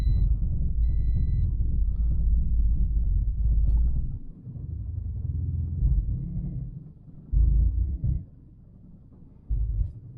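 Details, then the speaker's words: Turbo Toyota Corolla just after an ECU swap, restarted after sitting 30 minutes, piggyback harness not yet installed so fuel ratio is not being adjusted. Low idle rumble surges and sags unevenly, catching again every few seconds. Rough idle; owner suspects the missing harness. "So the car is running a little rough, but it is starting. I think it's also running a little rough because I do not have the piggyback harness in there yet, and it's not adjusting any of the fuel ratio stuff."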